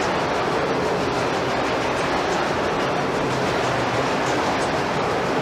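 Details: Historic gold mill ball mill running: about 4000 pounds of 2–3 inch steel balls tumbling in the drum, a dense, steady rushing roar with no rhythm, like gravel churning; normal grinding operation.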